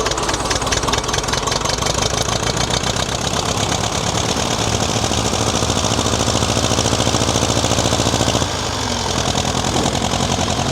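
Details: Worn-out diesel tractor engine that breathes heavy and blows oil. It runs on only three cylinders at idle but fine when working. Lumpy, uneven clatter with one cylinder dropping out; rough idle.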